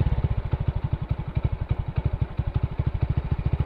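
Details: Old Hero Splendor after clutch housing replacement: single-cylinder idle thumps evenly at about eleven beats a second, low and steady with no rattle; healthy idle.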